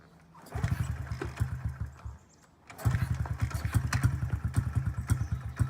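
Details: 2009 Honda CRF50F pit bike, not started in 2 years, kickstarted with choke up: two kicking spells bring only low, ragged chuffing that never settles into steady idle; hard starting because the choke was left on too long.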